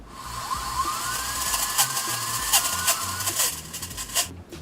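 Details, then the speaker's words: Amway eSpring water filter black holder, detached and blown through the thin outlet tube: a thin, steady, high whir rising and falling as the turbine spins freely, meaning the holder works. "Ви повинні почути шум від обертання барабанчика"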